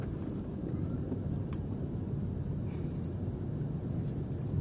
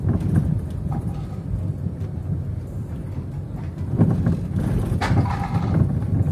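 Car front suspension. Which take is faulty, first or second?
second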